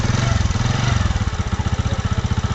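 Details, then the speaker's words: Spider YG-H100-A single-cylinder motorcycle after engine removed for head and cylinder repair, bolts checked and refitted: quick even exhaust pulses at steady idle, no knocks, ticks or misses; smooth normal idle. "Smooth sound চলে এসছে এবং ফুল accurate ভাবে কাজ করা হয়েছে।"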